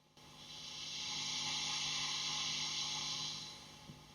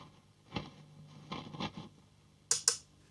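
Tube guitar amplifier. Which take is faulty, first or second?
second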